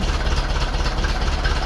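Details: 1951 Ferguson tractor right after its new thermostat housing was fitted, start with the throttle linkage still loose: steady low chug at idle, even beat, no misses or knocks; runs smoothly and housing not leaking.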